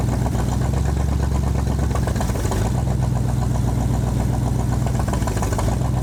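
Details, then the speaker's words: 1965 Ford Mustang, 289 2V V8 with 4-speed manual, after 30 years in a junkyard, float adjustment fixed flooding, about 57 psi oil pressure: lumpy idle with uneven pulse and faint hiss; owner suspects a vacuum leak; rough idle. "Sounds like we got a vacuum leak somewhere, but we're idling, so that's good."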